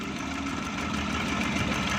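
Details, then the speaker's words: 2012 Suzuki Bolan that began misfiring on CNG and still misfires after conversion to petrol: uneven stumbling idle, blipped lightly, with a faint crackle of current; an ignition wire shorting somewhere. "कहीं से इसका current short है जिसकी वजह से ये मिसिंग कर रही है सीएनजी पर भी और पेट्रोल पर भी।"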